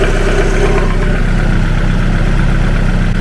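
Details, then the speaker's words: 360bhp Mazda MX5 petrol engine at idle: deep, regular knocking, louder from underneath and low in the block near the oil pan, grown louder over three years; cause unknown, engine being removed for repair. "that noise you can hear in the background it was a lot quieter it was and it and it stayed that level of quietness for for years"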